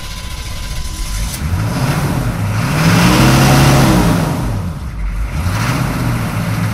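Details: 6.2L diesel on a cold, damp morning after a new fuel filter: starts, idles briefly, then revs rise and fall with an uneven chug and it dies; filter did not fix it, owner suspects temperature or air in fuel lines.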